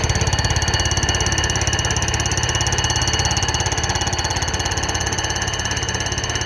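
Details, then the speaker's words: Fly cutter on a light-duty surfacer decking a flood-damaged Honda K series block during a pinned deck conversion: steady, even hammering near three blows a second under a bright cutting ring from the interrupted cut, so passes are kept light to avoid breaking an insert. "this machine I keep on the light duty side obviously and it's fairly aggressive with that [Applause] hammering so I just don't want to break an insert or shoot an insert off or something like that"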